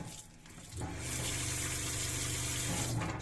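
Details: Newly installed Shurflo water pump in a Clemenson camper cell on a Mitsubishi L200 K74, tank nearly empty; tap sputters as air clears, then steady water rush over low pump hum; normal pump operation.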